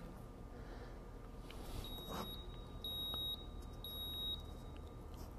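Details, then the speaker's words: 1993 Ford Mustang GT, EEC-IV key-on engine-off self-test: after 11 (no current codes), three even high beeps about one per second read stored code 33, EGR valve not opening properly; known EGR vacuum issue, faulty vacuum cap previously repaired. "all right so that's our key on engine off test no current codes and a code 33 is stored I'm going to go to our list of codes in the book and we'll look up 33 EGR valve not opening properly"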